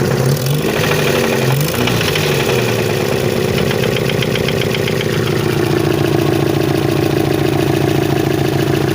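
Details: 1992 Chevrolet Chevette engine running: loud rough exhaust note with steady low rhythmic knock underneath; source of the knock unknown, owner asking for help.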